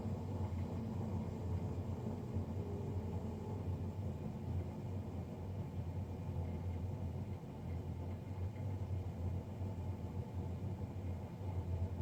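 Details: Navien NCB-240 boiler, serviced Jan 31 2020 and recorded Feb 3 2020: constant deep roar with a low hum, no ticking or scraping; combustion fan running unusually loud.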